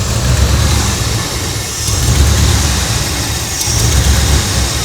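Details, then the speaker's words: 2001 Ford F-150 that sat for years, idling during vacuum leak repair with taped hose: uneven surging idle, low rumble rising and dipping every couple of seconds; after fixing huge vacuum leak it smooths to 700 rpm — rough idle from vacuum leak. "Okay, watch. It's going to run significantly better here in a second."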